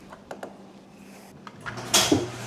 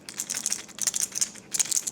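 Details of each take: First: 20-year-old garage door on its opener after fitting new rollers and self-adjusting Green Hinges: clunk at start, then steady low motor hum and soft even rumble, no squeaks; quiet normal operation. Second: 20-year-old garage door roller, old, shaken by hand: loose dry maraca-like rattle in quick bursts; worn bearing, being replaced with a sealed-bearing nylon roller.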